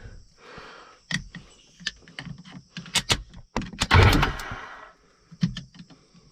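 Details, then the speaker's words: Sea-Doo GTX that won't start after a 12-volt low warning, with the solenoid jumped across: sharp clicks, a spark snap, then the starter whirrs; faulty starter solenoid. "So there, as you can see, it'll still kick and go that way. Now, I've done a lot of useless reading on Google, and people will say that shouldn't roll if you cross that over."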